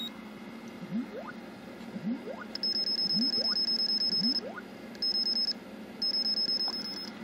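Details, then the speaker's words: Logic probe on Super Pac-Man PCB, 74LS298 at 4L, output pin 15: short high-pitched beeps in repeating bursts with gaps, the output stuck low while other outputs are fine; 4L later found bad, causing a background/tile map video fault. "12 through 15. so we'll go 15 15 is low as you can see sorry about that"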